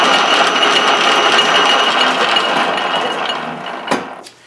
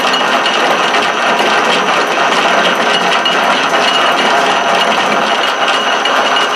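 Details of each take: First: 13-inch South Bend lathe after sliding gear shaft and detent spring repair, lever disengaged: steady whirr with light rhythmic gear chatter from inside the headstock, fading on spin-down; mild headstock gear wear noise, acceptable. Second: Southbend 13-inch single-tumbler lathe after brazed sliding gear shaft repair and detent spring replacement, lever disengaged so only internal gear noise heard: steady even gear whir with light mesh chatter, no clunks or skipping; normal gear train running.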